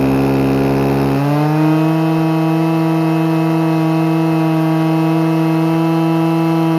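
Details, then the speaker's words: Stihl FS-250R 40cc two-stroke trimmer after carb rebuild kit, 50:1 ethanol-free fuel, high and low screws just set: screams to a high steady pitch at full throttle, holds cleanly without stumbling; normal high revving. "Nice. Alright, well, it runs great. Boy, that thing revs pretty dang high."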